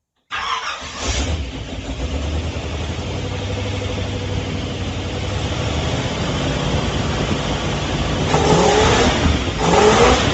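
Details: Rebuilt AMC 343 V8 in a 1967 AMC Marlin, start-up after rebuild: catches and settles into an even, steady beat, revs up cleanly and drops back smoothly; healthy engine.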